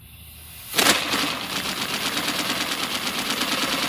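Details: 3D-printed miniature inline-6 air-powered engine, pressure turned up to max, exhaust ports leaking air; sharp pop then fast, even hiss-and-patter of air pulses with no stumbles: running normally.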